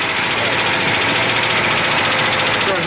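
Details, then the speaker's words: One of twin 454 big-block engines in a 1980s Egg Harbor 41 sport fish boat, running on seven cylinders and overfueling. Loud, hissy, uneven running with no steady beat; bent or stuck-down valve suspected. "It ran for a little bit, but um he's definitely got a bent valve or something like that on that one."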